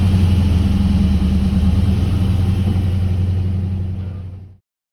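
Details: 1979 Camaro Z28 with a McLeod Super Street Pro clutch, whose random noises with the pedal pressed were traced to a greased pilot bearing: smooth, even low idle with no chatter or squeal, then the engine shuts off and spins down; normal idle.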